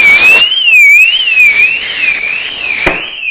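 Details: 2010 Mercedes Vito: loud high-pitched warbling siren sweeping about once a second; aftermarket alarm with no remote fob, thought shorted out by water after washing.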